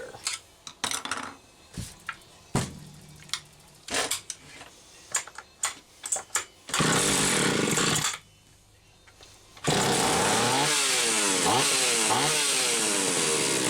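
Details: Stihl 031AV chainsaw test run after ignition repair, aftermarket ignition module replacing original trigger under flywheel: after clatter it fires, revs cleanly up and down with steady buzz, no misses; repair worked.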